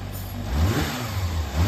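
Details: Used Yamaha XJR400 (early-type XJR400R/S) running engine assembly, high compression and compression tested; short crisp revs rise and fall cleanly with the throttle, no knocking, rattling, abnormal noise or white smoke. Normal running.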